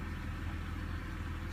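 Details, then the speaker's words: BMW 5/3 Series with earlier cylinder 4 misfire and throttle codes, after cleaning the throttle body (VANOS sensors also replaced): steady, even low idle with no surging or stumbling; the earlier idle and stalling problem is solved. "so now my car is idling a lot better just cleaning my um Auto throttle so that's what solved my RPM problems"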